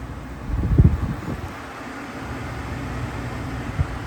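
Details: Air conditioner compressor starting on a 24V Trojan T-605 battery bank, cabin at 80.8°F: a low thump as it kicks on, then a steady low hum under some wind noise; normal start and run.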